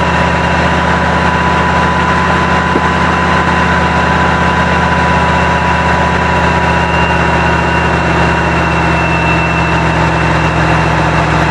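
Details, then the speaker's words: 1974 Avanti V8, just revived after sitting, running on added fuel: steady low idle with faint uneven lope, struggling to hold speed; seems to run on all eight cylinders; owner may need to clean carburetor. "it didn't like that well we know it runs it seems to be running around all eight cylinders which is good uh it's going to take some running off and on to get this thing back to where it's going to run in idle"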